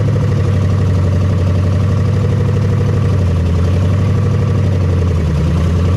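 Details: 1975 Chevy Nova V8, just started after sitting 35 years: loud, fast, steady idle with open-header rumble well above normal, from uncapped vacuum leaks needing caps.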